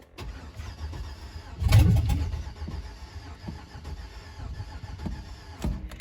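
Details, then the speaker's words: 2005 Chevrolet Suburban LS donor engine, low on gas, first start attempt: brief cranking with a short burble that dies away instead of catching. Cranks but won't start; cause unconfirmed. "so that little turnover and burble she heard and decided she's coming out so i've got to check the oil make sure it has some in it"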